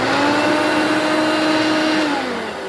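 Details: Hoover Elite Mach 6.0 350 vacuum, first test run after repair: the motor spins up to a steady, even whine with a clean tone and no rattle or grinding, sagging slightly at the end, and the vacuum propels itself; healthy.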